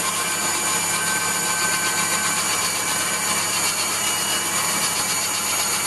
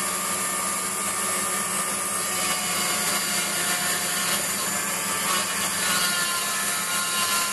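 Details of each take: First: Waldown/Dumore tool post grinder on a lathe internally grinding a bronze bush: steady high hiss of the small wheel with slightly uneven scratchy edge; light contact tighter at one end, wheel set to just kiss the bore. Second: Waldown/Dumore tool post grinder finishing a bronze bush bore on a lathe, stone worked in both directions with fast in-out traverse and very light cuts: constant, even high-pitched hiss with no rise or drop. Uniform contact, so the bore is finished.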